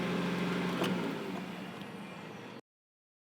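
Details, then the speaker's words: Van engine after throttle body was tightened, new throttle body fitted and cable lubed: fast, steady hum well above normal idle, revving all the way up, slowly sagging before cutting out; high idle, worse when warm, owner suspects vacuum leak. "I know it had to be a vacuum leak because that high idle like that and then getting worse as it warmed up"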